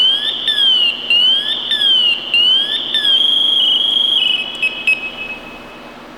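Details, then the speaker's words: Scott Air Pak SCBA maintenance check, PASS alarm test 2: left to go into full alert, with loud high chirps sweeping about once a second, then a steady shrill tone, then reset by pressing twice slowly. Normal. "our second check is to let it go all the way off into full alert mode and we're going to hit the reset button twice slowly to turn it off"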